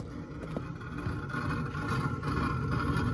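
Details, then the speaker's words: Trane rooftop unit supply fan motor coasting after shutdown: rough low rumble with faint thin whine from a worn motor bearing; the burner fan was also spun by supply-air pressure through a cracked heat exchanger. "can hear this fan the bearing is by too in this in this motor you can hear it"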